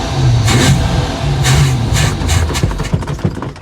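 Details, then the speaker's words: Project boat V8 under throttle on the water: deep rumble surging and sagging in uneven bursts then faltering; fuel pump found not working, timing only roughly set. "Okay, that fuel pump is not working."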